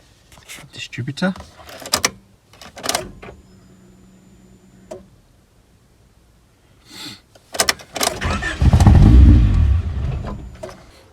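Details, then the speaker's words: Rover 416 GTi non-runner: fuel pump heard running, starts perfectly then misfires and cuts out within seconds, throttle only roughly keeps it going; owner suspects ignition fault, unconfirmed. "okay so it literally starts and cuts out and when you can when it does actually run you can use the throttle to try and rough it up but just misfires and cuts out"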